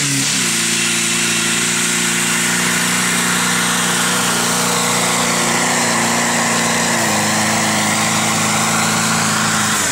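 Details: Ford Transit diesel, after a hard cold start on ether and jump leads, while driving across a field: steady low drone under a harsh loud rushing hiss; turbo seized, large oil loss noted.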